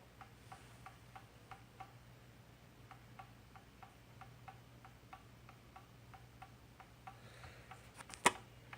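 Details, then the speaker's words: Pendulum clock after oiling and adjusting the crutch to correct the beat: crisp, even tick-tock at about three beats a second with no limping gaps, described as a solid tick; clock now running in beat. "right usually it's what song a little bit better it can hear it's a nice better solid ticket"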